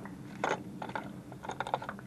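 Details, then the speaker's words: New PCV valve for a 2012 Mazda 3 sedan, shaken by hand: light irregular clicking rattle as the check ball moves freely; the valve is fine. "and here is the new PVC can hear"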